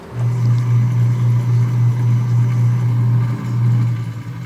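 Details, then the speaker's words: Alternator removed and bench-tested at an auto parts store; steady, smooth low hum with no grinding or squeal, bearing sounds good. The alternator passed the test, and a voltage regulator fault is suspected elsewhere. "not a thing wrong we'll run it again just to be sure cause the first thing I said when it fired up and as it sounds good the bearing sounds good"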